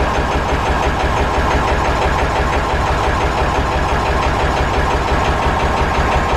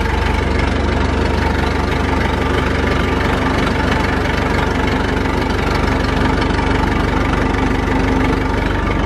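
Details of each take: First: Massey Ferguson 35 tractor, sat unused, started: heavy uneven thumping idle running on only two cylinders, one cylinder honed at rebuild and not worked since, thought to need working in; runs on three once warm and loaded, no smoke. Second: Massey Ferguson 165 tractor, four-cylinder Perkins diesel, tight and in good shape, started after sitting, no smoke: even, steady diesel clatter at settled idle, about four beats a second, no misses or knocks; normal idle.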